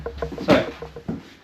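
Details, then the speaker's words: Royal Enfield Interceptor 650 with Eagle Eyes DRL lights temporarily wired through a relay: ignition on brings short hums and soft thuds, then a single late click as the relay switches on after a delay. "Oh, I heard the relay switch on, they're quite bright. Let's do that again. The relay doesn't seem to switch on straight away."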